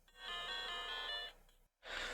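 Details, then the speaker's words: Blue Game Boy Pocket bought used, powered on: a clear, high ringing tone, a short gap, then a second bright ping. The boot chime is normal and the screen looks okay, though grainy. "yes yes yes heard a beep screen looks okay"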